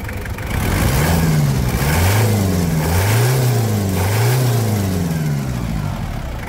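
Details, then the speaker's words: 1997 Toyota Hilux SW4, 1KZ-T 8-valve turbo diesel, after engine service: clean, strong revs climbing and falling smoothly, no knock or miss; normal, healthy revving. "Esse motor aqui, com esse comando de válvula de oito válvulas aqui, ganha da Triton em turrada, hein? E desbancou a Triton, hein?"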